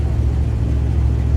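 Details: Edelbrock AVS2 carburetor on Frankenstein, just rebuilt and cleaned after gunking (blamed on a clogged fuel filter, possibly tank debris): deep, even engine rumble holding steady, no popping, stumbling or misfire; running clean, needs adjustments.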